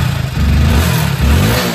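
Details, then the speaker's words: Hero HF Deluxe BS6 motorcycle that would not start or pull on cold winter mornings, after refilling the emptied fuel pipe by switching the key on four or five times before starting; a deep exhaust note revs cleanly without hesitation; normal revving. "এই যে আর কোন problem নেই এখন accelerator নিলেও আর যে problem হচ্ছিল আর problem হয়নি"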